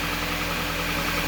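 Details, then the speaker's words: 2011 Jeep Compass Latitude 4x4 2.4L automatic idling after fixing the ASD relay issue that caused crank-no-start; steady even idle with low hum, no misses, ticks or surges, no check engine light, running normally. "But no check engine light, and it starts up on its own power. Just checking things out here, make sure nothing's getting hot, make sure everything looks good."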